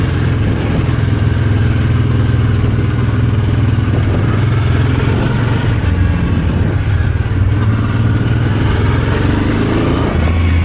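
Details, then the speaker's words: Honda Transalp V-twin at its first start after the carburetors were rebuilt and reinstalled and the throttle cable tension was adjusted: even, steady beat with no misses or surging, smooth idle and clean throttle pickup; running normally. "And now it's time to give it a test run. And it runs brilliant as you can see in the video."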